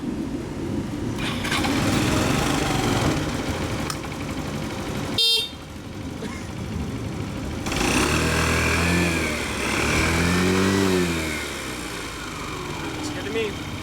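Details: Yamaha Vino 125 scooter after starter clutch replacement (previously ground or failed to start when hot), oil topped up: clean start, then a couple of smooth revs rising and falling with no grinding or slipping from starter; healthy.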